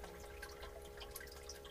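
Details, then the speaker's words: Solar thermal drain-back system, pump running at 5 pm with collector hotter than storage tank, listening at the pump return line: soft steady trickle with scattered drips over a low even pump hum; normal drain-back return flow. "you hear that trickling down okay that's this is our drain back system so the water comes down here"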